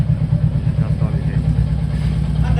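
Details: Royal Enfield Bullet 350: steady single-cylinder thump at idle with a clattery mechanical edge on top; an engine noise problem, cause not pinned down.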